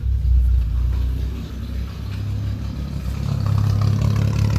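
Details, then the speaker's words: 1954 Nash flathead six at idle on a 6-volt booster after a head gasket job (head glued and torqued, new spark plugs): low, even burble with a steady beat, no misses or knocks, running smooth and healthy. "I've got the booster on. It's a 6-volt boost. Oh, Sounds pretty smooth."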